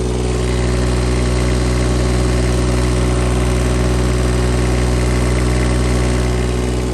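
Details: 2016 Bobcat E20 mini excavator, Kubota diesel at idle, checking for blow-by: smooth, even, very quiet idle with steady low hum, no knocks or ticks; normal idle, no issues.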